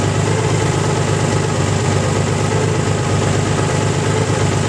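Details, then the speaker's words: Nissan 300ZX engine recovering from hydrolock, oil changed, after 20 minutes of idling: steady even hum, idle still high at about 1,000 rpm, no misses or knocks. "After 20 minutes of idling. Idle is still at about 1,000 revs, give or take."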